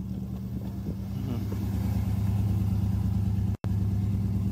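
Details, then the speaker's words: 1964 Pontiac Parisienne during cam break-in, with good rebuilt carburetor replacing faulty one: deep, even exhaust burble that builds slightly then holds steady, no misses or knocks; healthy. "beautiful that's a nice sound to the exhaust"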